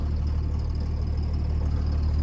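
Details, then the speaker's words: Diesel tow truck freshly upgraded with an S464 turbo, new exhaust and tight torque converter, VP tune changed to lower rail pressure: deep, steady idle with a more rattly clatter from the lowered rail pressure. "changed the VP tune a little bit, if you can't hear it. A little more rattly. Lowered the line pressure, or rail pressure, excuse me."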